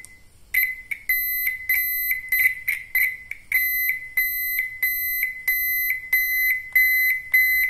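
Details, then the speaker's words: Turn signal buzzer for a sedan, low-decibel unit: steady soft, rounded beeping about a hundred a minute with a little bass, not shrill; normal turn signal buzzer. "tapi suaranya seperti ini ada sedikit basnya dan tidak terlalu keras karena desibelnya ini desibel yang rendah"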